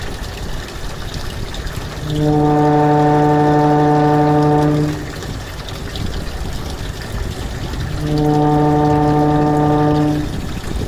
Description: Evaporative cooler, or swamp cooler making VERY Loud noise, and presents vibration when operational.